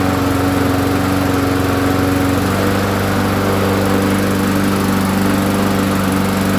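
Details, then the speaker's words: Roadside-found push mower that had sat a very long time, after a new gasket, an oil check and priming: steady, even single-cylinder chug at constant speed with no misses or knocks; running cleanly. "ah forgot to start filming so it does run"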